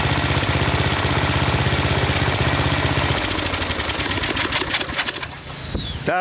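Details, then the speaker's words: 1999 Snapper riding mower, 28-inch cut, 10 hp Briggs, first run of the season: slow, loping single-cylinder thump that sags and stumbles, with wind in the background. The idle is really low and needs adjusting; owner thinks it may even need a different carburetor. "Yeah, we could adjust That's that. That's it. Really low idle."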